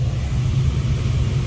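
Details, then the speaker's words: Seasons 4 rooftop unit: steady smooth low whoosh and hum from the blower motor running fine, yet the air proofing switch reads 24 volts across and isn't closing to register airflow, so the switch is bad and needs replacing. "because you can hear the blower motor it's going it's going good"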